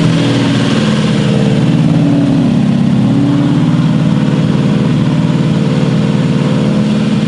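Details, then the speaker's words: Built Mustang GT on first start, cam break-in held near 2000 rpm: a loud, steady open-exhaust V8 firing evenly with no knocks or misses, smoothing out; oil pressure good, slight steam from a suspected small water leak; normal. "all right here we are can't break in we're trying this time we've made it longer than last time engine's smoothing out a little bit oil pressure is good"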